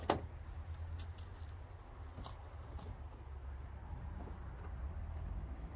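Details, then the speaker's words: 1978 Plymouth Volare, cold start at a service after 300 km of driving: low, steady, smooth idle with no knocking or ticking. The oil warning light went out normally once oil was picked up, and the engine sounds healthy. "You heard it do the nut, picking up the oil, whatever, and then, yeah, that's usually what happens."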